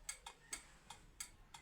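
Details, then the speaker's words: National electric iron with the thermostat exposed: turning the knob moves the contact wire, and the thermostat points click open and closed with sharp dry ticks roughly every third of a second, normal switching action that switches the iron on and sets its heat. "ये thermostat है यह देखिए इसके अंदर point होते हैं आवाज आ रही है टिक टिक"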